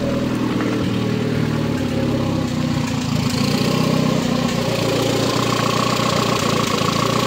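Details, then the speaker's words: 1.4 MPI turbo engine after reinstall, previously high idle likely from a disconnected vacuum hose now connected: even, steady idle with no hunting or surging; idle normal as it should be. "voľnobeh normálny, tak ako má byť."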